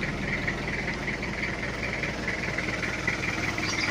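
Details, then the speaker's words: 1997 Toyota Kijang diesel after cylinder head work, started after sitting since the day before and catching on the second crank: even diesel clatter at a steady idle with no knocks or misses; normal, though the rpm is not yet fixed. "Jadi dua kek ee udah hidup dan mesinnya Alhamdulillah normal untuk ini rpm-nya masih belum kita perbaiki"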